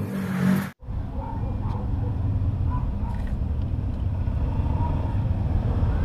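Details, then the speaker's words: Yamaha YTX motorcycle after replacing three broken Bendix drive bolts behind the magneto-side cover: low, even engine putter at idle with no knocking or rattling; noise fixed, normal idle. "boss wala naong maingay maraming salamat"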